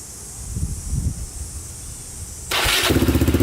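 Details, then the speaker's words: 2002 Yamaha Raptor 660 quad after repairs, with a new battery: quiet, then the single cranks briefly and catches at once into a quick, even thump with no stumble or oil leaks; normal start and idle. "all right starts right up as you can see no oil leaking anywhere so so far so good"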